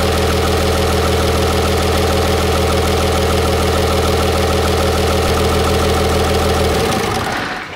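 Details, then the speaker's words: 6.7 Cummins diesel after repair, intercooler off: steady, even idle with a slight normal thump from the open intake, running completely smooth, then shut off. "that is exactly what it's supposed to sound like that that is good so now that was in good shape that was definitely our problem that sounds perfectly normal"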